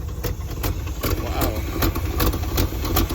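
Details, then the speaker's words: 1971 Chevrolet Monte Carlo, old 350 V8 just revived with a little fresh gas: rough uneven idle with sharp puffing ticks two to three a second, an exhaust leak, little smoke. "wow well she definitely got an exhaust leak all right like a donut man not much smoke"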